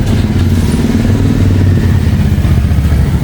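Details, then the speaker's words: TVS Ntorq 125 scooter at 58,671 km: uneven metallic clatter over the low engine note while running, like a utensil breaking; the one-way clutch nut has come loose and is to be tightened to fix it. "One way का नट खुल गया है one way का नट tight कर देंगे इसके बाद में हो जाएगा यह साउंड सॉल्व हो जाएगा"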